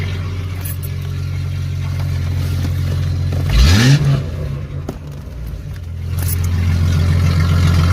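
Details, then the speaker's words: Jeep ZJ with rusted, holed muffler leaking fumes into the cab, run with the muffler cut off during exhaust replacement: deep, loud raw drone that swells sharply on a quick rev then settles; open exhaust before the new muffler is fitted. "where I put the new exhaust on let's fire this up it's just a cat off they're gone might be loud"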